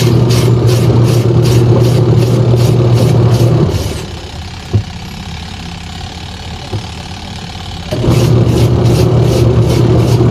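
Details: Sharp single-tub washing machine after repair that fixed a stony grinding with water: even motor hum, steady agitator rhythm with brief pause at reversal, no grinding; now working normally.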